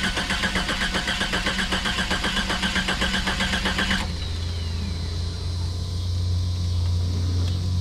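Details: 1991 Jeep Cherokee Briarwood, long-parked project, first crank with a new battery, fuel low: starter churns rhythmically about twice a second for four seconds, engine never catches, then a low hum remains; crank no-start.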